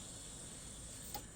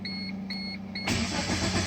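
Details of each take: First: First-generation Chevy Metro (Geo Metro/Suzuki) with a crank-no-start condition: at key-on a steady high fuel pump hum runs about a second and a half, priming now heard where it wasn't before; normal fuel pump prime. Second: Chevy/Geo Metro (Suzuki Cultus), first generation, 64,675 km, key on with no fuel pump prime: a few chimes, then about 3.5 s of even cranking that never catches; compression sounds even; crank no start.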